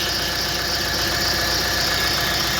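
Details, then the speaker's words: Renault Master diesel van at idle: steady high squeal over a light regular knock; pump already replaced, owner suspects a pulley, possible air in system or valve tapping; source unknown. "Então galera esse ali é o barulho ali não sei o que que é já foi trocada a bomba tem alguma polia ali que tá tá fazendo aquele dia"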